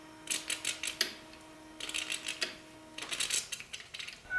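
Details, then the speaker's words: Ford 6.4 Powerstroke diesel after full engine reassembly, won't start: faint fuel pump hum with stop-start hissing spurts as air is bled from the fuel system by cycling the key. "Okay, that's a lot less air."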